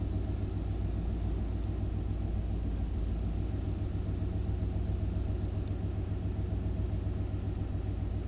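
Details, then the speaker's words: 1991 Chevy K1500 V8 with aftermarket headers, after new oxygen sensor relocated downstream, idle brought to 850: even, steady rumble with no crazy stumble, good throttle response, slight remaining staircase hunting; better but not perfect. "Well, okay, so it's still doing the staircase a little bit, but you don't feel the crazy stumble like we did before."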